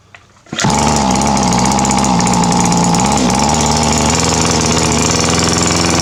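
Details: Two-stroke weed trimmer that ran rough then wouldn't start despite fuel and spark, after its clogged exhaust was burned clean on a stove, still hot: catches after a short pull and holds a steady high buzz, no stumbling.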